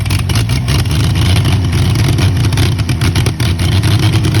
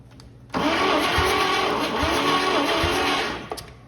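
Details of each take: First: Early-1940s Chevy 216 inline-six, out of a vehicle 40+ years, run with ether assist: deep, steady rumble rising and falling smoothly with revs, no knocks or misses; it started and runs. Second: Early-1940s Chevy 216 inline-six, unused 40+ years, dry compression test: starter grinds slowly, labouring and kicking down on each compression stroke about once a second; only about 60 PSI, one cylinder 32, low compression.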